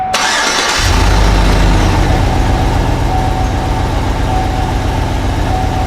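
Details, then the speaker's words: GMC Yukon V8, cold engine start on a +9 degree day just after fitting a K&N air filter kit: brief cranking, then a steady, even idle with a deep growl and no knocks; more growl and smoother than before. "That sounds really good. There's more of a growl on it. Very nice. Truck seems to be running a little bit smoother too."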